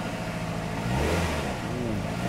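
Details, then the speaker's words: Poorly four-cylinder car engine started at idle for an on-car brake booster vacuum test: uneven, lumpy running with stumbling beat and irregular revs, running on three cylinders; engine misfire. "Three cylinders. It's supposed to have four, by the way."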